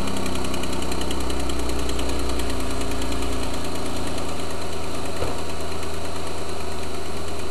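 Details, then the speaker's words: Truck warming up at idle: a faint light tick buried in the engine noise, following engine speed; owner believes it is an exhaust leak on the front manifold. "If you listen closely, you can actually hear the engine tick. It's driving me nuts. It's exhaust leak on the front manifold."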